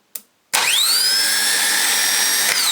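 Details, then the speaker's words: Mercury boat engine starter motor bench-tested after sinking, cleaned, regreased with replacement solenoid; after a click it winds up to a clean, steady high whine, spinning freely and sounding healthy. "Well, that sounds alright to me. What do you reckon? Yeah, I think that's a good one."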